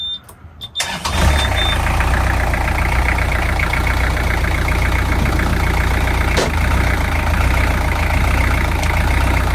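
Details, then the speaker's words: Newly installed Beta 43 diesel in a canal boat, replacing an oil-starved Ford, first start: brief crank, catches fast, settles into steady even diesel clatter with no misses or knocks; healthy idle. "Right, let's give it a little bit of a start and see what happens."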